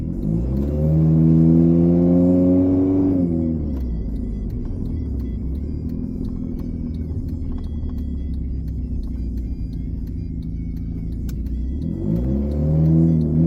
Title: pov: ur a little mouse person riding in a 2009 honda fit with an exhaust leak